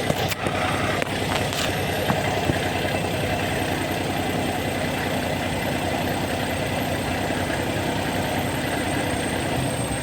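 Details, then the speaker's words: Car engine with a rough, lumpy idle, as if dropping a cylinder, while spark plugs and then ignition coils are swapped between cylinders to diagnose it. Swapping the spark plug didn't help, and one cylinder shows no response; the ignition coil is suspected, unconfirmed. "Punta ko ng spark plug pagpalitin ko kay ignition coil, kasi dito walang response ganito yung tunog"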